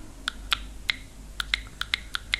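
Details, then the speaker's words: Piezo buzzer of the frequency-driven type (not voltage-driven) fed plain DC from a battery: about nine sharp, irregular clicks and no steady tone, so it does not work on DC alone. "suena tal como pasará con este Ahora cuando lo conectemos suena pequeño clic ya os comento o ha sonado en algún momento pero el mismo no se cita no funciona"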